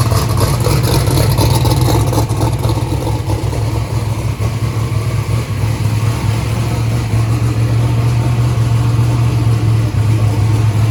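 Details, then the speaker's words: 427ci Small Block Ford race engine (rated 2500hp) at first start-up, 82 psi oil pressure while warming: loud lumpy idle stumbling about twice a second; dash showed number three not sparking, and a loose spark plug wire had triggered the red light. "we also found a loose spark plug wire that's the reason it was turning on the red light earlier"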